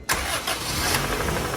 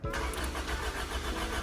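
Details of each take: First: 2000 Honda Civic DX hatch with B18C1 GSR swap, unrun for over a decade, after fixing voltage drop at EFI main relay: brief crank, fires at once, steady idle; rod bearing knock noted, timing incorrect. Normal quick start. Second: 2000 Honda Civic DX hatch with B18C1 GSR swap, not run for over a decade. Spark present but no injector pulse; only 7 volts at the EFI main relay input wire. Starter churns steadily but the engine never catches: crank, no start.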